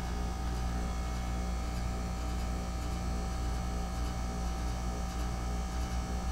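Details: 2008 Goodman packaged heat pump, November, coil iced over, full 3–5 minute defrost cycle with steam: steady low hum over even rushing, no knocks; a dinging noise was traced to a loose fan grille; normal defrost.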